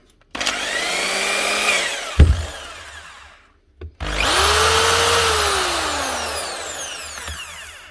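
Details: Power tool sent in for repair whose plug would not go in because of its earth-pin arrangement, run after the plug is sorted: the motor spins up to a steady whine twice, the second higher, and coasts down cleanly each time; both speeds work and run smoothly.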